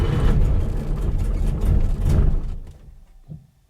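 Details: Porsche 912 on a cold day, in neutral, after ignition parts were removed and the battery was recharged: steady labored cranking for about two seconds that fades out without catching; cranks but fails to start.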